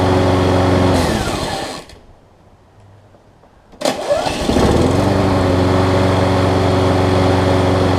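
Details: Troy Bilt self-propelled push mower with a Briggs & Stratton Quantum engine, fitted with the wrong auto-choke carburetor instead of the required primer-bulb carb. The primer bulb delivered no gas, so it runs only on starting fluid: it dies off, restarts, settles steady, and smokes slightly.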